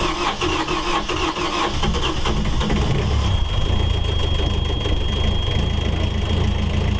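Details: Yanmar 4JH4E marine diesel in a sailboat, unstarted for 10+ years since 2006, cranked with stop held to build oil pressure, then catches at once into a steady low even idle, no misses or knocks; oil pressure good, healthy start.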